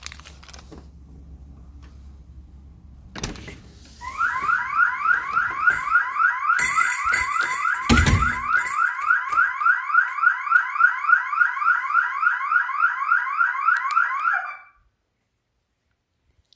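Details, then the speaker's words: KERUI PIR wireless alarm system, armed at front door on instant mode: long arming beep, then on door opening a loud siren warbling about three to four sweeps a second for ten seconds; intrusion alarm triggered instantly. "You hear that long beep? So if I open the door right away, the alarm is gonna go off instantly, okay?"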